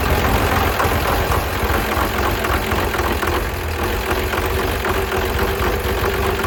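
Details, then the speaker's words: 12-valve 6BT Cummins diesel after piston replacement and thinner head gasket swap: smoky but steady, even diesel clatter at idle with regular firing, no odd knocks; runs normally. "she's Smokey but she's running number six has gotten fuel guess I won't be needing this thing oh yeah smoo right out [ __ ] yeah she's running good it sounds good man"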